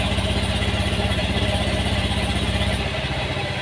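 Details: Honda Beat FI scooter whose ignition-on starter was dead, relay pin 4 found fine and the battery blamed: small single-cylinder engine idling with a steady, even putter of about four beats a second; healthy, no knocks.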